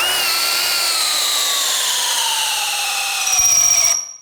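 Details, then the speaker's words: DeWALT DCD999N cordless brushless hammer drill on a 5Ah battery, driving a 19 mm auger bit in speed/gear 3: the high motor whine drops in pitch as it bogs down, then cuts out. The drill stalls overloaded and needs gear 2. "di sini dia stop Ya nggak mampu artinya kita harus turunin gearnya ke Gear 2"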